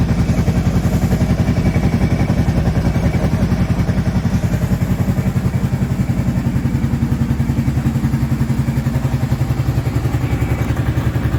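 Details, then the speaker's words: Kawasaki Prairie 650 quad ('02 or '03), just reassembled and coolant added, freshly started and warming up: even steady thumping idle, about 2.5 beats a second, with no rattle or clicking heard before; normal idle. "Hopefully I don't hear that rattling, clicking sound that I was hearing before from when I put it back together. Yet. That's a good thing."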